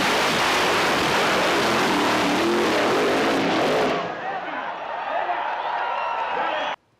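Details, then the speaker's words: 1.9 TDI PD diesel in a SEAT Ibiza revved to about 7000 rpm on a durability test: screaming high-rev roar suddenly collapses into a rough clattering wind-down; dual mass flywheel exploded "like a bomb". "went off like a bomb. Probably more dangerous than it should have been."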